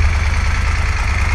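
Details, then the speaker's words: 2016 Moto Guzzi Griso 1200SE V-twin after ECU remap, warming toward 60 °C before throttle body balancing: deep, loping, even idle with no misfires or tapping; owner says it is not running too badly; normal idle. "okay I don't know if you can hear me but the bike is running not running too badly at all"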